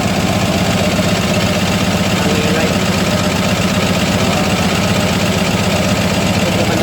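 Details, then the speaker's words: CAT 966G loader, freshly overhauled 3176 diesel with low power: lumpy uneven idle, misfiring, RPM slow to rise. "Ayan po siya palyado tingnan niyung RPM hindi siya aakyat ng mabilis bagal tapos palyado siya"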